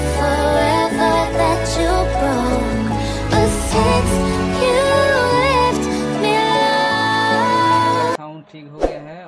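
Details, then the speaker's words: Stranger PBT701 amplifier that had no sound, after replacing a faulty resistor at a transistor base: clean, full music plays steadily at raised volume with no hum, crackle or cutting out; normal amplifier output. "तो यही resistance खराब हो गया है इसीलिए इसका sound problem हो गया है तो इसको हम लगा दिया है अभी इसका जो साउंड है इसको हम चेक करेंगे"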